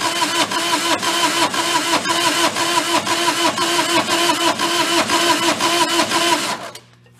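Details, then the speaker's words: Mid-1980s Bobcat skid steer, possibly 642, diesel with glow plugs and ether, not run for previous owners: cranks about two beats a second, slightly uneven, never catches; owner suspects low compression on one cylinder or fuel problem. "even like listening to it like it doesn't have sounds like one of the cylinders when it goes to crank it doesn't have the same amount of compression"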